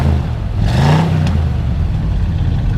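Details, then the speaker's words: 1972 Chevrolet Chevelle SS 350 V8, freshly tuned, cold day: quick throttle blip rises cleanly and drops back to a smooth even idle, no clatter or smoke; healthy normal revving. "that's a nice nice sound so i'm gonna go ahead and uh show you some more stuff"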